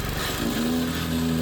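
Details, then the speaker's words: Small single-cylinder engine with a new carb and airbox that wouldn't start because low oil tripped the low-oil sensor; after topping up the oil it starts on one pull and settles into a steady putter, with a little smoke. "One pull. Starts great. Little bit of smoke, but boy, this thing was handy."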